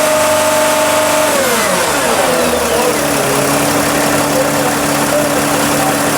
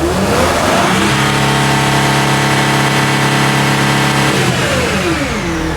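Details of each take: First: Sprinter van, 3.0L diesel, high mileage, with DPF codes, DTC 2626, low power and unable to exceed 50 mph: idles then revs to a strained drone; exhaust back pressure reads about 2 PSI (over the 1 PSI limit), so the DPF is clogged. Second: Sprinter van, 3.0L diesel, with DPF codes and low power, revved to about 4,000 rpm: clean steady turbo whistle under the hood, turbo most likely good, while exhaust differential pressure climbs to about 2.5–2.79 PSI.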